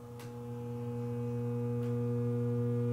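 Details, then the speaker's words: Kalamazoo 2 tube guitar amp, Class A practice amp, with a loud, steady low hum and buzzy overtones that swell as it warms. Excessive mains hum, more involved than just the old filter cap. "well here we are again I've got to Batgirl in the shop and we're going to fix a Kalamazoo amplifier this one is humming from what I hear"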